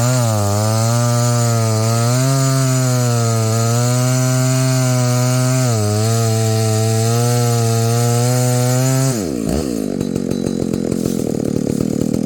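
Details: Husqvarna 285 (85cc) two-stroke chainsaw after a seal replacement and a shortened bar, cutting wood: strong high-revving buzz dips slightly under load and recovers without stalling, then winds down; cutting healthily.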